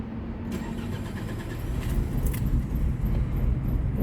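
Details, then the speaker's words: 2005 Nissan Altima 4-cylinder with rough idle jumping 2000–3000 rpm after the throttle body was cleaned, tested with only one ignition coil connected: cranks, then catches weakly and stumbles rough and uneven, barely running. "طبعا يا دوب بدي الله تشتغل، ما ظنيت بتشتغل بكويل واحد."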